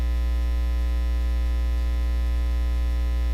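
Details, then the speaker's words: Studio monitor setup tested with an iFi iDefender+ USB ground loop breaker: steady low mains hum with faint buzzy overtones, unchanging throughout; this sound likely indicates a monitor ground loop issue rather than a computer-related loop. "then it's likely a monitor ground loop issue"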